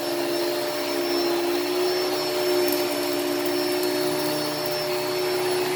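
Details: Hoover Elite Cyclonic S3825 canister vacuum, first run after new brushroll belt fitted; steady high motor whine with constant airflow rush, no rattles or speed changes, good suction. Normal running.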